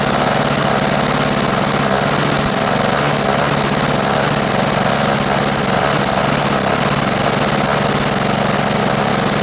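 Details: Toro CCR1000 3 hp single-stage snow blower, previously no-start from gummed-up carburetor jet, after fixing: small engine buzzing at steady even speed, constant pitch, no surging or misses; normal running.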